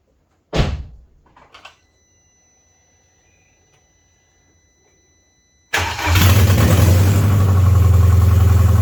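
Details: BMW 316i E46, after 4 years off and new clutch, flywheel and refitted engine: long silence, then engine catches at once and settles into a steady, even low idle; starts and runs normally.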